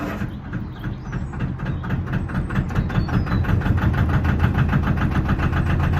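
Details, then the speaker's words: Lister diesel in a narrowboat stern engine bay, not started for a while, run before soundproofing with a decibel meter: steady, even low chugging with a regular beat and no knocks or rattles. Healthy running. "Before I do any changes to the deck, I'm going to start the engine up, measure how loud it is, and then once I finish doing the deck, I'll start it up, measure how loud it is and see how much of a difference it's made"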